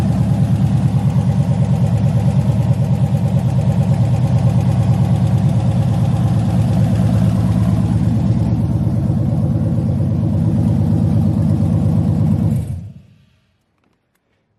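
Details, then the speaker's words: LS-swapped 1986 El Camino, 5.3 with Camaro heads, cam and LS6 intake, first fire-up on open headers with no exhaust yet; loud, choppy idle with a steady lope about three per second, then shut off; normal idle. "there you guys have it man 5.3 Camaro heads cams LS6 intake and I think that's pretty much it"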